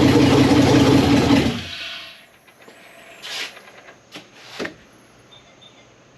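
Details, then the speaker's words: Abandoned 1999 Jeep Wrangler TJ with LS V8 swap and Turbo 350, after adding grounds, fixing fuel line leak and vacuum leaks: loud cranking burst catches and settles to quiet even idle, no misses; healthy, apparently nothing leaking. "Started up, started idling. Man, that's awesome."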